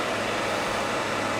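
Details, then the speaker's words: Llano RGB laptop cooler at 2,800, its maximum setting: loud, even rushing air with a faint low hum and no rattles or ticks. The fans are far too loud for a tabletop device. "Now this is its maximum cooling, but also it's going to be its maximum loudness, which as far as I'm concerned is just far too loud for anything that sits at your tabletop."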